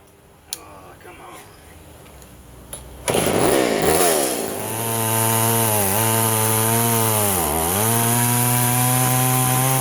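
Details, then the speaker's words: Poulan 3400 / Craftsman 3.4 vintage chainsaw before the carb fix: fires and revs, but the revs sag and dip twice in a rich, loaded-up bog; it smokes and floods because the metering lever was set too high, and leaning the mixture did not help. "okay mister 3400 is loading up on me when i was trying to run it for that video so i'm gonna do a little impro promptu video and let's take the carburetor off this thing and see what's up because no matter what i do to adjust it to lean it out it still loads up"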